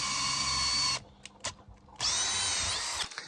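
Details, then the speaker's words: Makita XGT cordless drill that kept slipping out of gear, tested after repositioning the gearbox pins and greasing it, drilling into logs: two strong, steady high whines with no skipping. It stays in second gear, so the drill now works normally. "Anyway, I needed to give it a good test. And it hasn't skipped, it stayed in that second gear, which is great."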